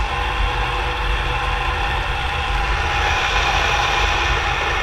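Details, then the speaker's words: 20-year-old Scotty 12VT jig machine motor on battery power: loud steady rough drone with a thin high screech on top, no speed change; worn motor bearings, to be replaced. "You guys can hear that. It's pretty loud. So, the bearings are kind of worn out in these. Uh, this one's a Scotty uh 12vt motor."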